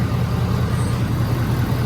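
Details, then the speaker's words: 2017 Ford Powerstroke diesel pickup idling after fuel filter and water separator change with SPE billet drain: steady low diesel clatter, even and unbroken with no stumble or hunting; healthy idle. "let her idle for a little while and then uh yeah"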